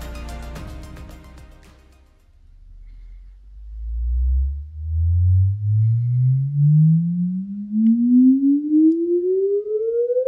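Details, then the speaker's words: Paradigm CC-390 center channel speaker, retest with the suspect driver disconnected: a pure 20–20 kHz sweep tone glides up from bass into midrange with no buzz or rattle; clean. "all right so yeah I'm not I'm not hearing anything like we were before"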